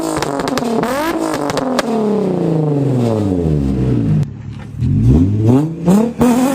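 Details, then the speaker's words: Freshly installed replacement engine, revved: blips up sharply and falls back cleanly with a loud, crisp exhaust note, revving fast; runs 20W50 oil, new flywheel, test pipes, catch can, oil cooler; normal free revving. "As you guys heard, this loud, it revs fast. It's great."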